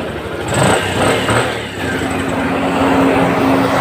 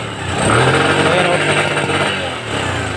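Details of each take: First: Bajaj CT 100 motorcycle that wouldn't start, after refitting the pulser whose screw had fallen out, old CDI kept: engine now runs and revs smoothly with even exhaust note, no missed beats. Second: Bajaj CT 100 motorcycle engine revving unevenly with exhaust beat stumbling and dropping out, misfiring even with a known-good original CDI; stator/magneto suspected and being opened for inspection.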